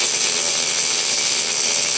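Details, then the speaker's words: MIG welding arc with the wire feed speed set too high gives a harsh, steady crackling buzz. The arc pops more, the wire bounces off the puddle, and the bead piles up without fusing at the edges. "So, problem number one with settings is having too much wire speed. When you have too much wire speed, you'll hear more of a buzzing sound."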